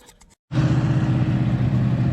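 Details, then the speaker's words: 1968 Hemi Charger V8 idling while being returned to the road: uneven lumpy low rumble with popping, running lean from a large vacuum leak that prevented a proper idle; rough popping idle from vacuum leak. "Well, it's idling, but it's got a hell of a vacuum leak. That's why I couldn't get it to idle. It's popping."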